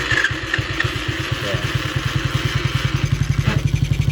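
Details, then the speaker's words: 50cc kid's quad, oil checked, running after being started: steady low thumping about four beats a second with an odd mechanical note underneath that the owner suspects is transmission noise. "I think it's transmission noise, but we'll get some riding out of it."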